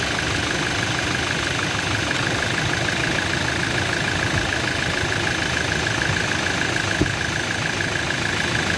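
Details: Toyota Innova under mechanical engine diagnosis: steady idle with rapid, fairly even tapping over the engine note; internal engine knocking, source not yet traced.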